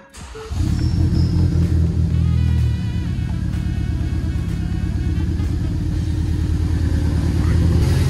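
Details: 2016 Ford Focus ST 2.0 from auction with no turbo boost and unknown aftermarket tune, first start after turbo work, oil change and pre-cranking with coils unplugged: catches quickly, steady even low idle, no knocks; music partly covers it.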